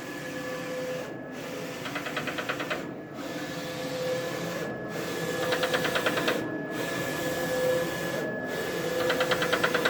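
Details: Roland VS-540i printer: carriage whirs with rapid clattering popping bursts when moving right toward the control panel while printing, and when returning after cutting; print quality still fine.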